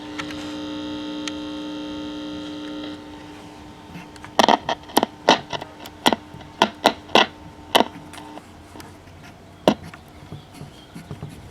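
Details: RCA RLS 47W AM/FM clock radio, dead radio, powered through a light bulb while capacitor reforms: steady low buzzing hum then scattered clicks; supply hum, possibly weak filter capacitor.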